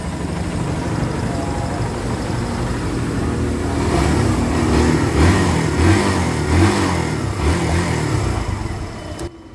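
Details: 2024 Barako 2 single-cylinder motorcycle, formerly hard starting, after valve clearance adjustment and switch replacement: revs up and back down smoothly and picks up cleanly with no misfire or stumble; now starts easily and runs healthy.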